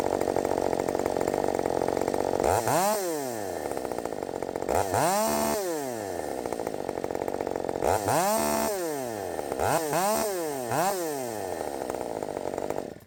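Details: Redmax 5000 chainsaw with 16-in bar, steel RS chain, 8-pin sprocket, after open muffler mod, warm restart: fires and holds steady high drone, then four crisp throttle blips revving cleanly up and down; normal running.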